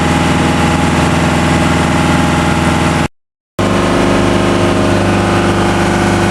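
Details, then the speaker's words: New, not yet run-in TDME-490 58 hp diesel with 3:1 hydraulic reducer, motorboat sea trial on a cold morning, speed 11 at 2000 rpm under way: even, steady drone, no knocking or irregular beat; healthy. "Скорость 11, обороты 2000. Выходим из среднего загона."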